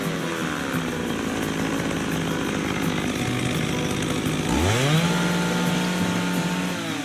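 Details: McCulloch 610 chainsaw, after carburetor cleaning, at full throttle with the high-speed screw set just rich of the lean sputter point: it screams, the pitch sweeps up, then holds a clean, steady high note without sputtering; tuned and ready.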